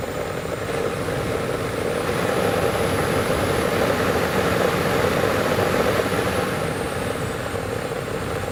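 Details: 2011 Acura RDX (first gen) blower motor: steady fan rush with a thin high whine that climbs with fan speed, then drops back; likely front blower bearing clogged with brush dust, fixed by blower motor replacement.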